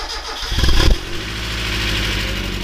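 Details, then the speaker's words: Mazda Miata first start after reassembly and long storage: the petrol engine cranks, catches and idles with a light background tick; owner attributes it to lifters from disuse, possibly one needing replacement, not confirmed. "so you probably hear that ticking noise that ticking noise is from the lifters that has nothing to do with the timing belt that is mainly because the car hasn't been driven in so long although one of them could need to be replaced"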